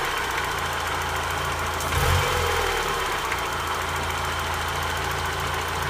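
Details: 1991 Mazda Miata, cold-ish at idle with idle droop (owner suspects IAC), no codes: faint loose bottom-end knock about four a second, louder as idle dips, quieter warm, also around 3-4k rpm light throttle; owner suspects spun bearing.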